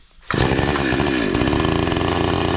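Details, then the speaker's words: 52cc chainsaw with old parts refitted, stripped bar studs replaced and recoil screw fixed. Started with switch on, choke out, throttle set and chain brake on; it catches and settles into a crisp, even buzz: normal running. "I'll start up the saw. Show you how to turn it on."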